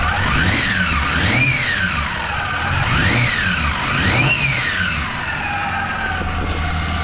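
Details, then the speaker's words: Toyota Land Cruiser 80 series, in park, after redoing a failed exhaust fix; three clean revs rising and falling smoothly back to a steady idle, with no ticking or puffing and no exhaust leaks. "That sounds pretty good so [Music] far. No leaks."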